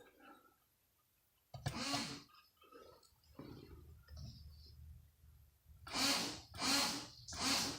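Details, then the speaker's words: Evolution 8 factory intercooler sprayer with key on and manual button pressed, after cleaning a contact inside the switch. Three evenly spaced hissing spray bursts, each with a soft pump whirr; the sprayer works normally. "it is it is now working so all I had to do was clean that contact inside the switch when I took it apart"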